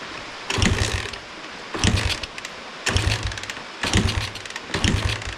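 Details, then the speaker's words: 1986 Honda XR80R dirt bike, free, with low compression, on starting spray: five short cranking bursts about a second apart, never catching; no start, cause unknown. "come on it's not wanting to start well turn the fuel off I want it to drain all the fuel"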